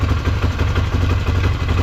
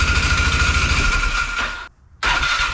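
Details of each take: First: Polaris Sportsman 500 ATV after new battery and replacement carburetor installed: deep, steady, evenly paced single-cylinder idle with no hunting or sputter and no fuel leaking; runs normally. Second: Polaris Sportsman 500 ATV, unknown year, after sitting, fresh gas poured in, manual choke on; cranks, catches, settles into choked, hunting idle that won't take throttle or run off choke; runs only on choke, clogged carburetor jet suspected.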